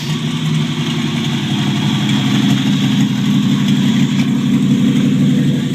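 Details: 1949 Chevrolet Deluxe 4-door, first run of a replacement engine swapped in for the locked-up original, no exhaust fitted. Loud open bark at steady even idle, regular firing with no knock or miss; healthy, normal idle.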